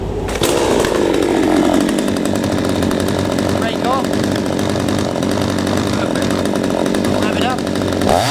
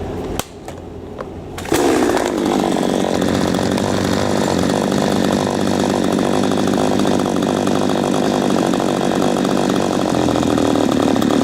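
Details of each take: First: P1PE P6220C two-stroke chainsaw, warm, chain brake on, no load, after carburettor adjustment: even idle at the correct speed, then clean climb to maximum revs with slight smoke, slightly rich on high speed as intended; runs right. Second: P1PE P6220C chainsaw with idle speed screw backed off about half a turn: fires up on a steady buzzing note, revs fine, but idle set too low so it won't hold tick-over and stalls when throttle is released.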